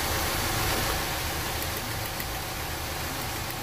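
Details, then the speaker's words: Petrol engine idles rough with an uneven pulse and steady hiss; a power balance test shows no vacuum or RPM change when cylinder 1 is disabled, so cylinder 1 is dead. "absolutely no change madam vacuum not even on the RPMs so would that mean what that means is that number one senator is not working on this engine for some reason"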